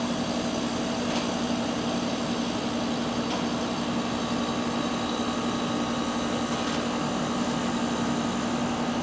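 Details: 2021 Carrier AC condenser heard outdoors in midsummer after coil hose-down and filter change: steady, even compressor hum with a smooth fan rush and no knocks, rattles or squeal; unit running cleanly and healthy.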